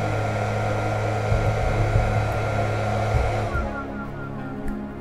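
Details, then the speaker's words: Benning 1300 W 48 V 25 A industrial power supply, mains connected with no modification: loud, steady fan roar with hum and faint whistle, easing off after a few seconds; normal startup. "By this, just connect the power. It's getting loud, of course, it's power supply."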